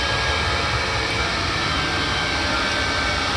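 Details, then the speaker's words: 5 kW diesel air heater installed under the kitchen in a 28 ft motorhome, replacing the LP furnace, running on full blast: steady airy roar with a low rumble, even pitch, not very loud, heats quickly, normal operation. "but that's the heater on full blast it's not it's not that loud it heats up quick"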